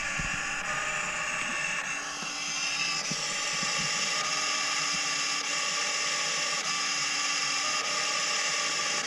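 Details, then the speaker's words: 2017 Audi Q7 2.0 TFSI 4-cylinder, codes P2681 and P00B7, limp mode; heard from engine bay with driver's door open. High, uneven ratcheting whir repeatedly starting and backing off: electronic thermostat motor hunting; thermostat replacement fixed it. "so you can tell it's trying to get to the position it's it needs and it can't so it tries to again backs up tries again backs up so that's that's the thermostat um assembly"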